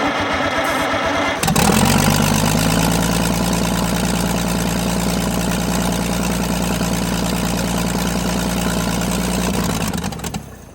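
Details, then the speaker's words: Oliver 88 row crop tractor that sat 20 years, after starter and ground work and starting fluid: it cranks briefly, catches and settles into a steady even idle. Normal running. "wow i think it's gonna run"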